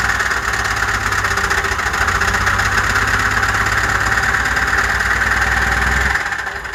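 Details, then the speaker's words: Blown 12-valve diesel, run on used motor oil, about 25–30,000 hard miles at ~500 wheel hp: it ran out of oil, the stack caught fire and the turbo failed; owner suspects turbo pieces entered the engine. Heavy uneven knock at rough idle until it cuts out, a rod about to come out. "oh boys and girls that thing's about to have a rod hanging out of it"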